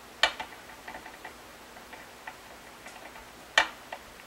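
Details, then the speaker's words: 2021 Epiphone 335 fret check: two sharp clicks a few seconds apart with faint taps as a fret rocker tips on high frets, mainly on the treble side; uneven frets. "okay so there's a few spots that have some rocking"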